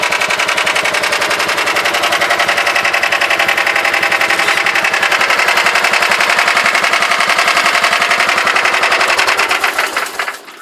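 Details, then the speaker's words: John Deere 180 small single-cylinder engine, cold start, unknown hours: a fast, even idle patter of about 220 beats a minute with a dry raspy edge; raspy idle, cause unknown. "you hear the got a little rasp to it at idle."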